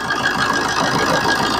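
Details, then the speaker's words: Suzuki Swift diesel after replacing the alternator pulley and refitting the belt: steady, even diesel clatter settling into idle with no squeak or creak from the belt side; the earlier creak on starting and revving came from the alternator pulley. "ഇപ്പ കുഴപ്പമില്ല അപ്പ വണ്ടിയുടെ sound ഒക്കെ complete ready ആയിട്ടുണ്ട് കുഴപ്പമില്ല"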